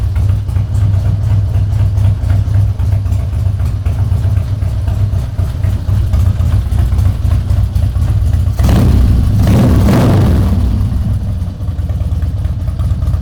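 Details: Harley-Davidson Twin Cam Dyna Glide (FXD), 39,000 miles, after CV carb rebuild and intake reseal: steady, even low thump at idle, then a clean quick rev settling back smoothly; running healthy.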